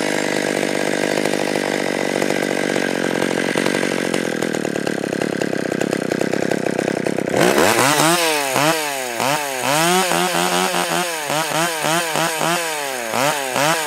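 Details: Stihl 020 AV chainsaw with new clutch, new nose-bearing bar and new chain, warmed up with idle raised, first cuts: steady high full-throttle buzz, rhythmic rise and fall as it bites and clears the cut; normal, clean, healthy cutting.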